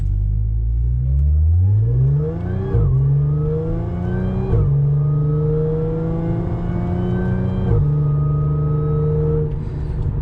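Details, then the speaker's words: Audi S4 3.0 supercharged with test pipes, after fitting Magnaflow resonated X-pipe: light throttle through the gears, smooth even exhaust note, no rasp and little drone. Normal exhaust note. "So that was like a little bit of throttle just going through the gears, and it sounded absolutely perfect. There was no rasp really, not a lot of drone."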